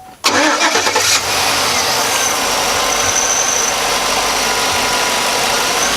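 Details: 2004 Chevy Tahoe Z71 5.3-liter V8, recently bought, heard under the hood: quick crank, catches at once and settles into a steady, even idle with no knocks, ticks or misses; normal start and idle.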